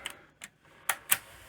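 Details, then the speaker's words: Sony Betamax SL-HF100 VCR, serviced, with back tension issue suspected: sharp uneven ticks as the tape laces up; noisy planet gears in the threading mechanism thought to cause it; head bearings also noisy. "I think it's just those Planet gears in there they're just really noisy"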